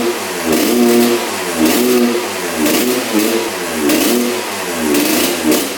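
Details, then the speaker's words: 1986 Honda CR125 two-stroke with a horrible bog: after the spark plug was addressed and the stuck throttle slide freed it fires and runs well, but blips flatten and stumble with a rich bog at full throttle; owner wonders if the pipe is clogged. "the bog almost sounds like the the pipe is clogged so I wonder if that's what's going on but it fired up so I think it was partially the spark plug and probably partially the throttle slide being stuck pretty far up but sounds pretty good but you can hear that bog at Full Throttle s"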